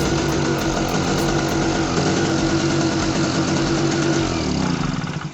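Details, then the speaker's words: Small Target generator that refused to start, now running after a little fuel was poured into the carburetor opening with the choke left open; steady, even single-cylinder run at constant speed, no misses or knocks. "Alright, you see, so it works. So you can try that sometimes. If your generator refuses to start, you can try to snuff it."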